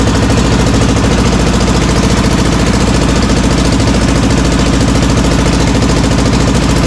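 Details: Honda CB450 Black Bomber twin, recently revived, running with battery meter attached (appears to charge poorly); loud, even thumping about three and a half beats a second with no stumbling or knocks. Earlier suspected slight rattle, cam chain checked.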